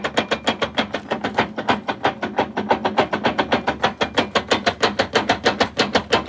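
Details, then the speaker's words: Coupe project car viewed from the pit: sharp ticking clicks about three times a second as the driveshaft is rocked by hand, coming from inside the gearbox. Owner expects the gearbox to fail soon; exact cause unknown. "ez a váltóból jön ez a hang, úgyhogy a váltó fel fog robbanni, kijelenthetem hamarosan."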